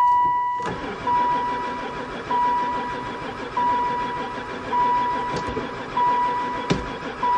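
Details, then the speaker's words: Van parked about four years, with gas added: slow, steady cranking just under one a second that never catches. Owner suspects no spark; the cause is unconfirmed. The finding is crank, no start. "still no go um I'll dump a bit more gas in why a the oil light working try number three we dumped some gas in the intake [Music] um I think we definitely got no spark I give up piece of bees"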